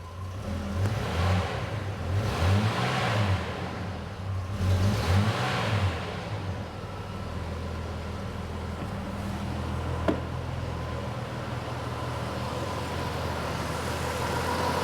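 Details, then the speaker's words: 1990 Jeep Cherokee Laredo that hadn't run in over two years and previously wouldn't start or idle, after new fuel pump and filter: throttle blips rise and settle, then steady even idle, no puffing or ticking; exhaust leak gone, normal idle. "this thing would not start it would not idle it wouldn't do anything uh so here we go oh"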